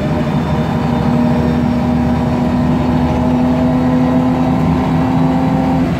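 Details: MAN Lion's Classic CNG city bus, MAN E2876 LUH03 EEV engine, Voith DIWA 864.3 four-speed automatic, under acceleration: steady mid-pitched whine over engine roar with gearbox noise throughout; noisy Voith transmission and slight differential whine.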